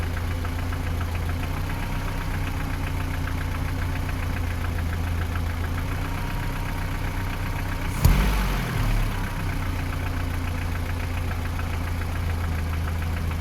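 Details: 3S-family engine in a VAZ 2121 (Lada 4x4) at idle: light regular ticking knock in time with the engine near cylinders 3 and 4, by the camshafts or lower; valve clearances, gear and cam beds already checked; top-end knock, cause unknown.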